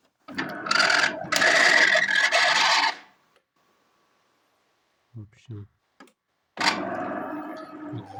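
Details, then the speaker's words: DeLonghi Caffe Corso coffee machine, first power-on: harsh raspy grinding in bursts with gaps from the brew unit gearbox, like a dry pump; descale warning, owner suspects clogged tubes or heater; inside, the brew piston moves very stiffly, which may have damaged the gearbox. "Шум с редуктора заварочного блока. И по звуку как будто помпа сухая, либо не прокачивает, просто трещит."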